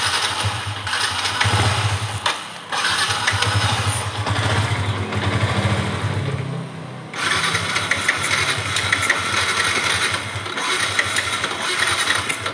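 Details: Yamaha Exciter single-cylinder bike: it fires up and idles fast and uneven, dipping and surging. Hesitation and high idle.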